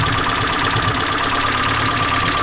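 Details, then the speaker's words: Mazda 121 (Ford Festiva) with freshly swapped B6 16V SOHC 1.6L from a Ford Laser, first run after firing-order correction, light rev: fast light ticking over steady idle, following engine speed; valvetrain ticking, cause not yet pinned down. "So, can get a bit of a rev. Very tappy."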